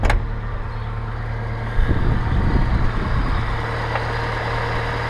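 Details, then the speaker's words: 1987 Pontiac Acadian after reconnecting a cut body ground: low, fairly steady idle rumble with no misses or knocks, now running a lot smoother. "running a lot smoother alright guys"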